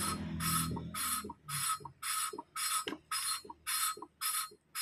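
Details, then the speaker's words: Motorcycle valve lapping by hand, twisting without lifting in the smoothing stage: gritty rasping strokes about twice a second, each a coarse scratch; valve and seat still grinding in, sound will turn quieter and smoother as lapping continues. "Kalau ini kan masih Terdengar agak kasar nanti kalau kita putar terus lama-lama akan ee lebih senyap suaranya"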